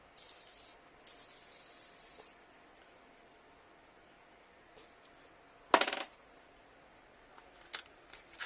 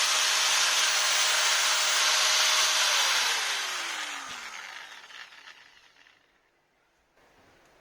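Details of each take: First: Maktec MT960 4-inch angle grinder, removed inner drive gear bearing spun by hand: dry, hissing rasp that dies away; worn rough bearing causing the grinder noise, would eventually break and damage the gear; replaced with sealed 6201RS. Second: Maktec MT960 4" angle grinder after replacing the bevel gear and spindle bearings: clean steady whine, then smooth falling coast-down with no rumble or grinding; grinder runs healthy.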